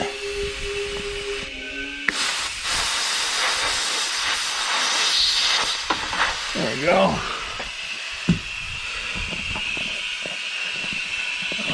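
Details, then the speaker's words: Old pay loader air brake system on shop air: thin steady hiss under handling clatter. Compressed air leaking from brake line fittings, one at the brake pedal output fitting. "you can hear some other leaks inside here"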